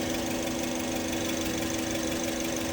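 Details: Engine idling with radiator cap open, coolant only mildly circulating, head gasket judged fine; thermostat missing: steady even idle hum, constant pitch, no knocks, misses or hiss; normal idle.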